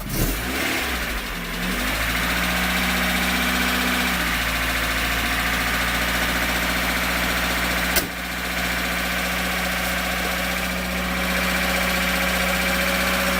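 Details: VAZ engine after repair (crankshaft wear from a missing key found as the cause of knocking), heard from the front with no covers fitted and alternator belt still off: cold start, then steady idle; heavy clank gone, only light valve tapping. Normal idle.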